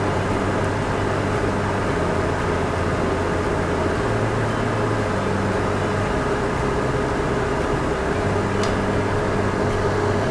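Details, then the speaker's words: RV Suburban furnace after blower motor replacement, bench-tested with 12 volts jumped to the thermostat and no gas connected: steady even blower hum with faint clicks of the igniter trying to light; blower running smoothly and normally. "So, as soon as we join this give it a second and it'll try to kick on."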